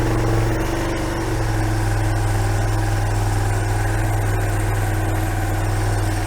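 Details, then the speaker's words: Kawasaki Bayou 220 four-wheeler, non-running when bought, first start on fuel poured down a temporary line, choke being eased off: steady, even low single-cylinder thumping idle, no stumbling or hunting; normal idle. "choke on oh that sounds good well we'll try turning the choke down here"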